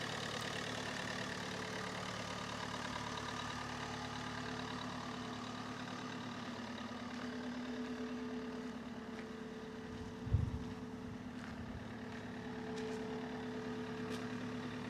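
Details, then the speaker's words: Astra with a rebuilt scrapyard engine just swapped in: steady hum at a raised, even idle with one brief thump. Battery isn't charging and the alternator is suspected as the cause of the high idle. "It is revving a little bit too high at the moment because the battery is not charging."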